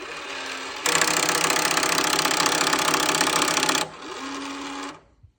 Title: Schlage connect lock making loud clicking noise